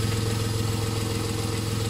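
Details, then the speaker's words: VW Polo idles smoothly and evenly with no rattle after its non-charging alternator was repaired rather than replaced; now charging. Normal idle. "Ne, klingt gut. Klappert nicht. Und lädt."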